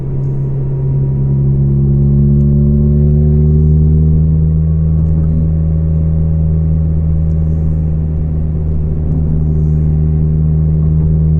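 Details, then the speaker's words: Volvo 440 while driving with exhaust broken apart: heavy low droning hum with metallic gong-like ring from a loose exhaust section. "Evette that's the exhaust that's a ring I'm not sure if you can hear it in the video but it's not a sound I like to hear when driving or at all"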